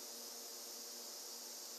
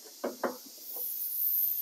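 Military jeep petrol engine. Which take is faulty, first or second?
first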